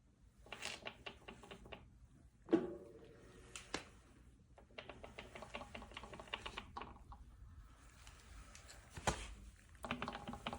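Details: Brand-new e-bike with a Bafang M620 1000W mid-drive: rapid ratchet-like clicking, about six or seven a second, in bursts when pedaling backwards. Owner asks if it's normal; a BBS02 doesn't do it.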